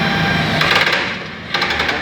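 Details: Toyota 8FG25 forklift whose engine front (timing area) is noisy when the control levers are worked: rattly gear clatter of about half a second each time load comes on, caused by naturally worn hydraulic pump drive pinion gears and chain, fixed by replacing the drive assembly.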